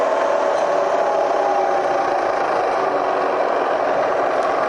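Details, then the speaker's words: Bridgeport mill Vari-Speed head after service, running around 1,000 RPM after being run up toward 3,000: smooth steady whir with even hiss, no knocks or grinding; quiet, normal running. "see 1,000 RPM it's it's really nice really quiet"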